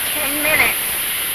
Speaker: y'all hear that hissing noise that is the steam being released from that release valve there and we want that to be hissing like that for about